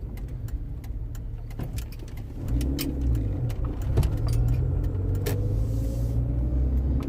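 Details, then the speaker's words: Land Rover Freelander 1 driven slowly over bumps on private road: low road rumble with sharp clunks/knocks, louder from left front; worn front drop link suspected. "If you hear a bit of that clunky, right here, you hear a bit of a knocking. And you hear more in this one here, be on the left front of the engine."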